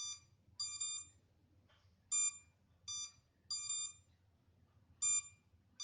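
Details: MJX Bugs 3 drone left on without transmitter connected, minutes later: short bursts of shrill high beeping every second or so in a quiet room; lost-transmitter locator warning alarm.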